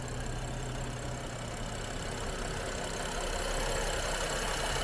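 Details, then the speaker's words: Engine after a junkyard performance-plus engine rebuild with custom exhaust runs a steady, even idle with a smooth low drone and no knocks or misses, smoother than the original engine; cracked intake tube to be replaced. "man, she runs so smooth."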